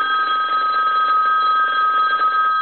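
Clear, even ringing with a fast warble that holds steady for over two seconds; the bells ring just as they should.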